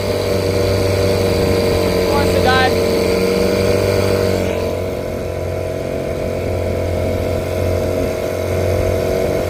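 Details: 1975 Johnson 6hp two-stroke outboard, idles great after fuel-line work (had been starving for gas); runs steady at low speed, then note sags instead of climbing when throttled; loss of power on acceleration, compression test planned.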